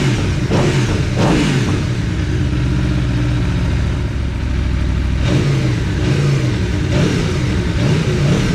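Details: Aprilia Tuono V4 free-revving after valve clearance service and fresh oil: crisp repeated blips from idle rising and falling cleanly, no rattles or ticking; no funny noises, initial chain clatter gone.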